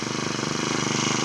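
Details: Honda GX35 grass trimmer engine after repair with genuine parts, having cut out during use before: quick, evenly spaced firing pulses with a bright, steady buzz, no misses or knocks; normal running.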